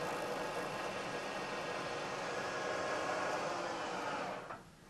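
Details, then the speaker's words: Milling machine, same-depth cut on a part clamped with damping plates stacked beside it: steady even cutting hiss, no chatter or squeal, easing off as cutter clears; smooth cut, better surface finish. "I'm taking a cut this time roughly equal depth to the cut I took before you'll hear that there's a very big difference and the noise produced especially as the cutter gets out towards the end of the part"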